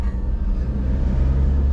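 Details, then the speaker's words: 2011 Toyota Hiace van with a hot, steep clutch, usually heavily loaded, driven steadily at slow speed: a deep droning rumble under the cab. Owner reported front-wheel noise when reversing; suspected front wheel bearings or rear differential, unconfirmed. "that's the front wheel bearings or the rear actual dip mostly rear actra dip on the van is very noisy"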